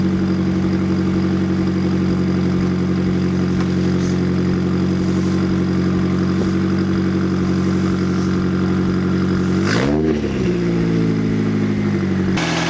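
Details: Nissan 240SX with SR20 swap after GTX2860 dual ball bearing turbo upgrade, 850cc injectors, Z32 MAF, FMIC, 340lph pump and new ECU; smooth steady idle, then one clean rev rising and dropping back without missing; small audible exhaust leak.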